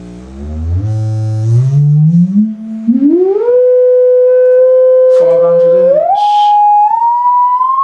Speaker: well that's about 30 hertz and i can hear it and now i can't hear it but i can actually see the cones going that's full of cone vibrating at 20 hertz